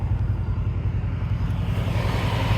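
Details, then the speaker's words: 1995 Kawasaki Mule KAF620A, warm after a 10-mile drive: steady engine rumble with the radiator fan whoosh cutting in normally; the temperature light never came on. "it sure sounds like the radiator fan is running to me and a temp light never came on"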